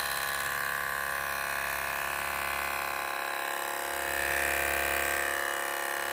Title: MSI Gaming Laptop Loud Fan Noise | MSI PE60 6QE | HOW TO FIX IT? HELP!